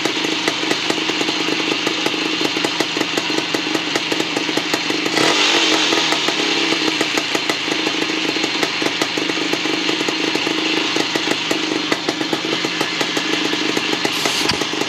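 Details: 1975 Bultaco Sherpa T 350 (type 159) two-stroke after rebuild: crisp, rapid, steady popping with one brief throttle blip. The engine runs clean and even, normal running.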